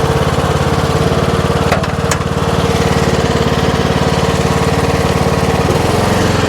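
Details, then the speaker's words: Troy-Bilt Pony riding mower, saved from scrap and repaired, with electrical and steering fixes. It holds a smooth, even idle, settling slightly lower without stumbling. Blade brake works and all 7 speeds work: normal idle. "Idle's down great, the blade brakes work, everything is 100% on here, so get you guys on the ground."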